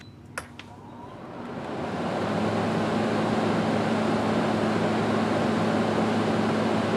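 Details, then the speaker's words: Kenmore window A/C after replacing the fan motor, which had a bad bearing, reassembled and set in the window. The fan spins up to a soft, steady hum with no rattle or bearing growl; much quieter than before. "so now let me go ahead and turn it on since a set up in the window and give you an idea of what it sounds like now it's really quiet compared to what it was before"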